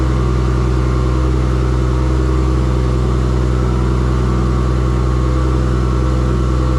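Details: First start of the engine after finishing the wiring harness: a steady, even low drone with no misses, knocks or surging, so it runs smoothly. Charging voltage reads too high and won't regulate; owner unsure if the LS alternator kit is overspinning.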